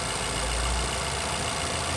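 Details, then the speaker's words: Vauxhall/Opel Insignia 1.6 SIDI A16XHT after replacing the rocker cover with its integrated PCV valve: short, steady, even idle hum with no squeal or whistle; the whistling noise is gone and the engine idles normally. "and the engine sounds more quiet come to when the whole world noise that thing is gone"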